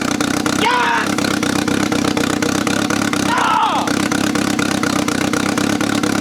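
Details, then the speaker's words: 1995 BMW E36 318ti with a turbo engine, first start after the fuel pump primed: it catches after cranking and settles into a steady, slightly lumpy idle with a couple of brief squeaks. "guys is it starting oh my god is this it might have ran for like a half a second let's try it again"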